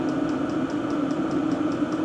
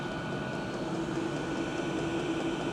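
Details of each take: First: Diesel parking heater (Standheizung) with its stock exhaust, measured about 73 dB right beside it: steady, loud combustion roar with a faint regular pulsing; loud heater exhaust through the standard muffler. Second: Diesel parking heater, loudness test at the combustion-air intake with filter and silencer fitted, measured 73 dB max. Steady, even hiss and hum with no knocks or surges; normal running with the intake silencer fitted.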